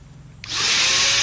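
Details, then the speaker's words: Jaco EZ Hoover vacuum cleaner after repairing rough rotor noise from failed bearings: motor spins up quickly to a steady, even high rush with no grinding; runs normally. "Rotasinya sekarang sudah lancar, teman-teman. Semuanya kembali normal."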